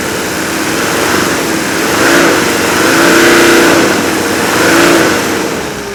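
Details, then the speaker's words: Mercedes OM617 turbo diesel with over 400 psi compression per cylinder, coming off idle: smooth, even rise and fall in engine note, no metallic knock under the combustion clatter; healthy ignition sound. "but that's the sound of healthy ignition okay that's not metal on metal knocking inside the engine that's the sound of a very healthy ignition fire"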